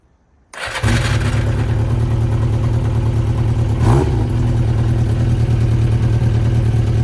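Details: 1992 Yamaha XJ600 Seca II after carburetor work: catches and settles into a lumpy, uneven, stumbling idle. Cylinder two reads 180 against 420–440 for the others and isn't pulling. Misfire.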